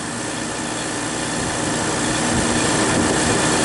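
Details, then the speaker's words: Refrigeration compressor in frigid weather (about 14–16°F, -14 wind chill) after a crankcase heater with thermostat was fitted on the liquid receiver to raise pressure: steady whirring hum building slightly; low pressure control cut in, running normally. "it warmed up the refrigerant enough so it expanded just enough to kick in the the fres frost and she should start pumping down for us"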